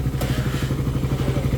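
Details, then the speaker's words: Single-cylinder motorcycle just started after repair (new spark plug cap, stock carb replaced with a 28mm one as it was misfiring): quiet, quick, even idle thumping about ten beats a second with no missed beats; healthy. "Medyo mas tahimik siya kumpara sa mga may ingay na motor talaga. Tahimik naman as in. Bago na rin yung carb."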